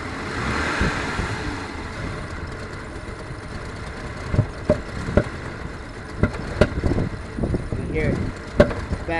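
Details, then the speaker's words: 1996 Jeep Grand Cherokee in freezing weather: rough-running engine with sharp, irregular pops backfiring through the intake breather, plus loud sucking; idles rough, stalls and hesitates on gas, code 11 stored. "backfiring into the Breather does anybody know what's going on here"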